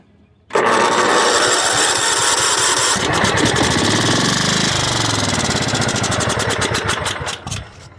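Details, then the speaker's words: Craftsman riding mower that had sat in a garage, started with a 12 V boost after a sticking starter: catches quickly, runs at a steady fast beat, picks up revs and winds down evenly with no knocks or misses. "she sounds good believe it or not this is the one that was sitting in the garage"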